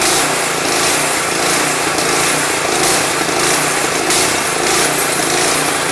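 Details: Craftsman 179cc 22-inch snow blower engine with old fuel, refilled with fresh gas and Seafoam: runs fast with revs swelling and easing about every two-thirds of a second off choke; surging, cause suspected, not confirmed.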